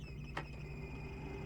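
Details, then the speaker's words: 2013 Ford SVT Raptor with 180,000+ miles, AC blower running at low fan levels 1–2: a soft whir with a thin high whine over a low hum that disappears at level 3 and above. Owner suspects the blower motor bearing, not confirmed. "And what I've noticed is right now we're on level 1, 2, 3, and once we get into the 3, that's when that noise starts to disappear. And I'm pretty sure it's just the blower. It's probably the bearing or something."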